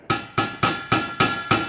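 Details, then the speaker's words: Tapping a cheap eBay exhaust muffler from a 1993 Honda del Sol: seven quick taps each leave a clear lingering metallic ring; muffler has no baffling. "So, this is a muffler um off on an eBay exhaust. Has no baffling in it."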